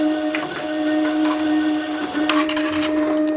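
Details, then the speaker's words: 2018 Flex Walker machine during tune-up: water pump running for calibration test, dispensing just over 25 ml target; steady high-pitched motor hum with light clicks, even pitch, pump calibrated and delivering on spec. "yep we are just a teeny tiny hair over 25 so our water pump is calibrated"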